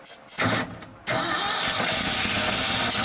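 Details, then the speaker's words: 1976 Ford F-600 first start in over 10 years after ignition points fix: short uneven cranking with stumbling catches, then rough idle with a hiss; suspected vacuum leak and no fuel pressure, fuel starvation. "see if we can trace this vacuum leak because it definitely has a vacuum leak and we're gonna see if we can somehow build fuel pressure because right now we've got none it doesn't look like"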